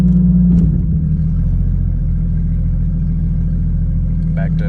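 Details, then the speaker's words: Cheap Jeep Cherokee in neutral after earlier misfire: steady smooth idle sitting noticeably fast, no misses; high idle from cruise control cable holding throttle open. "so i started to notice that when i put the car in neutral that the idle would increase"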